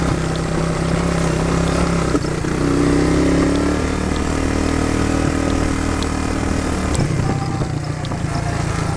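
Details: 1999 Suzuki Quad Runner ATV riding after carb float readjustment (previously bogged under load), not fully warm: engine pulls cleanly through revs, pitch climbing and settling evenly with no bogging or stumble; runs strong.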